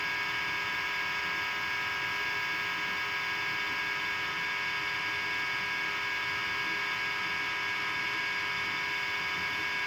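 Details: LG LDF5545ST dishwasher during wash cycle: loud, steady high-pitched whine and hum, constant throughout; noisy circulation pump, fixed by replacing pump case assembly ABT72989202.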